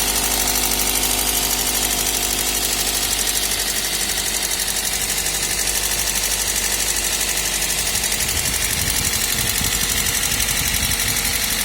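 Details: Toyota 1ZZ engine idling: fast light ticking, about four per second, over a hissy top end. Valve train tapping, pointing to valve clearance.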